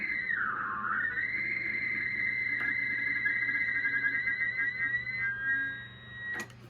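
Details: Pearce Simpson Cheetah SSB CB radio (1972–73), first turn-on in over 20 years, on upper sideband: warbling, sliding whistle-like tone over faint hiss, garbled off-frequency audio; owner suspects the clarifier was unlocked.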